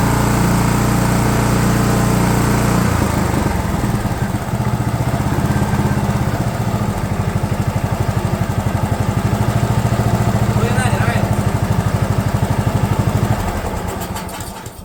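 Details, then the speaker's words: DR all-terrain mower with Kawasaki FV420V engine, revived after sitting for years; carburetor jets sprayed with brake parts cleaner. Settles into a steady, even beat after a rough start, then shuts off cleanly. Now runs properly. "right well that's just a Kawasaki engine for you they don't care they just run"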